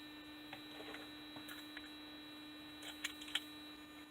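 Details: 2005 Chevy Equinox with a failure-to-start problem, after shutdown: a steady, thin electrical buzz with a whiny high note keeps sounding in the quiet cabin; speaker buzz with ignition off, source unknown.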